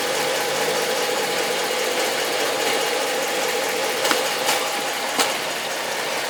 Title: Hemi 2013 strange noise